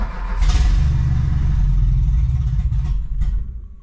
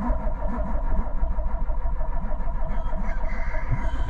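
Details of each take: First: 1986 Renault Espace prepared carbureted engine on ethanol, cold start in winter without choke after pumping fuel; catches and revs up in a rough rising rush, then settles: normal healthy cold start. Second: 1986 Renault Espace engine build, carbureted turbo, first start after six months' work; fires up running rough and hunting with uneven low beat; lean from big vacuum leak, two forgotten hoses disconnected, idle near perfect once reconnected.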